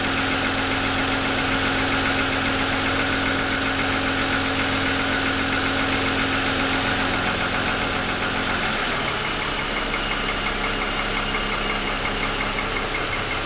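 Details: 2007 Lexus ES350, parked with hood raised, cold start: steady light knocking over the engine hum at an even pace, owner says pronounced piston slap lasting about 10 minutes after cold start, worsening over 2.5 years of ownership.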